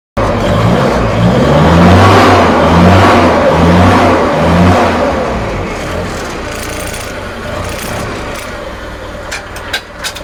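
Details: 1983 Kenworth K100 cabover after sitting years: quick light even cranking at about two beats a second with no compression strokes, won't start; sounds like no compression, cause suspected, not confirmed.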